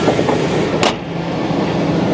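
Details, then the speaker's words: 1999 GMC Sierra with 5.3 Vortec V8, slightly leaking valve covers: even, smooth idle with a steady low rumble and no knocks or misses; engine runs healthy. "Yeah, she sounds great, guys."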